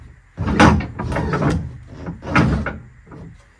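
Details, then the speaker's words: V8-swapped MGB GT being prepared for a rally. A few heavy, irregular clunks and knocks sound as the front end is moved, because the steering rack is not yet bolted down. "j'ai pas encore je n'ai pas encore fixé la crémaillère c'est pour ça que on entend ces bruits lugubres"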